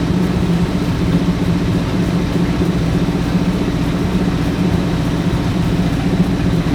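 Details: Sixties Ford Galaxie with a small-block V8 (289, possibly a 302), carbureted, warming up after revival: steady, busy idle sitting noticeably high with a slightly uneven beat; fast idle, timing suspected too advanced, carb secondary adjustment also being set.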